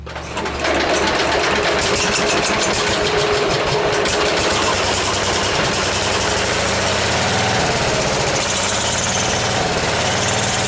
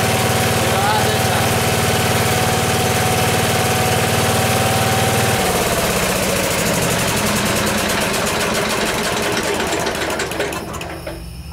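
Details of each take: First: it's going to be a little bit of a learning curve for me with messing with the governor and the cables i think the cables are a little bit out of adjustment Second: Small engine, carburetor still slightly out of adjustment and being tuned, started without choke: steady, even putter that settles smoothly and keeps running cleanly; sounds healthy.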